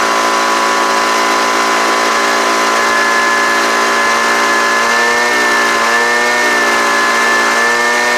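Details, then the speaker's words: Homelite UT09250 two-stroke after carburetor work: high, steady buzz holding pitch with slight wavering, running smooth and even, sounds pretty good. "so that sounds pretty good right there"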